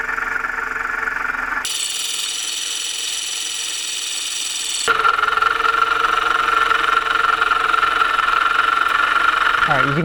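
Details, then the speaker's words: Engine idling while each component is checked by ear: a steady, gritty growl loudest at the water pump. This suggests a worn water pump bearing; the pump still needs to be isolated from the engine to confirm. "Sounds to me like the water pump was making the most noise. It was kind of a growling noise, which happens when the bearings go bad. They tend to growl on you."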